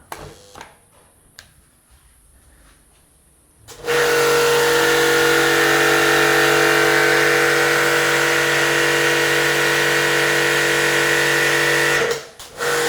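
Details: New REAIM RPW 100 Pro pressure washer (1000 W, 15 L/min, 10 m hose) at its highest pressure setting, on a 900 W supply: a steady, even motor hum at constant pitch for about eight seconds. Running healthy.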